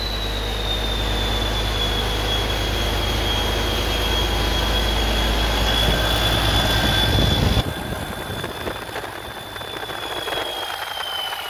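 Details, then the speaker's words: Rebuilt 3588 diesel running after the fuel lines were bled: steady, even rumble with a constant high whistle and no knocks or misses. Rockers are well oiled, and an unconnected water hose is leaking a little water. Normal idle. "sounds good it's oiling good rockers got plenty of oil on them"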